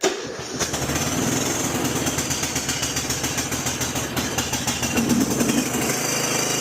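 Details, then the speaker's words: Old snow-plowing garden tractor that would not crank (no click) after an electrical fault, now started in a heated garage with choke on: short crank, then the small engine catches and settles into a quick, even putter; normal start after repair. "There we go. Okay, there we go. Looks like that started."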